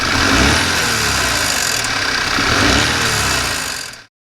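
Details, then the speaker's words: Audi A4 Avant: engine revs up and falls back with a loose metallic rattle as revs drop, heard from below; turbo wastegate rattle, with no overboost, underboost or fault codes apart from the heated wing mirrors; turbo to be removed. "This turbo is running absolutely perfect, but the rattle is obviously there and that's what that noise is."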